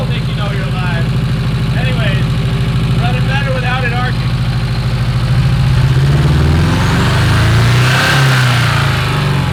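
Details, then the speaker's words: Porsche 924 Turbo that sat for years running poorly, started after sitting: lumpy, uneven idle with stumbling beat and some revving; misfire traced to a mouse-chewed plug wire with insulation gone, arcing so that cylinder does nothing; runs better without arcing. "so we noticed this is arcing so this plug wire is absolutely doing nothing you can see the mice chew the hell out of it"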